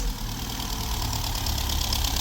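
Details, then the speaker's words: VW Golf V Plus 1.4 TSI (turbo and supercharger), first start in two years after repair of a slipped timing chain that let the valves hit the pistons: a lumpy, uneven, stumbling idle, seemingly not firing on all cylinders; misfire. "it's not running perfect but it's running okay better sounds like it's not running in Old cylinders"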